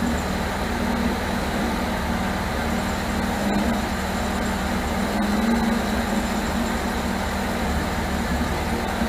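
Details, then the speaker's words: 1978 MGB after rebuilt carburetors were fitted and the ignition points deleted. Low idle with a slightly uneven, lumpy beat and no steady rhythm. Timing rechecked and distributor turned until it ran; still not clean, and the owner suspects more distributor adjustment is needed. "What I ended up doing was cranking it up after I rechecked the timing, and just kept turning the distributor, so I was able to get it to finally sit here and run. It's not the greatest, but I think I'm still gonna have to do a little bit more turning on that distributor."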